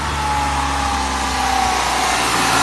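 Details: 1990 Plymouth Acclaim petrol engine racing at an abnormally high, steady idle with a loud airy hiss from a vacuum leak; once the leak was found and fixed, it idled normally again.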